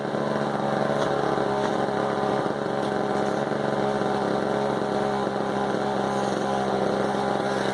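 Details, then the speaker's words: Husqvarna 35 chainsaw, idling several minutes after just getting it running, bar in a log; steady even two-stroke burble, constant pitch, no misses or surging; clean idle. "So, I mean, I'm going to stick it in this log here, let you guys listen to this beauty idle for a sec."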